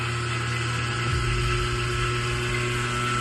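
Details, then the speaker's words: One-tonne separator after repair and balancing: steady high-speed hum with constant pitch, no wobble, knock or rubbing, then clean cutoff; running smooth and balanced. "Mana balansirovkasi. Mana ishlayapti, yurib ketgandi."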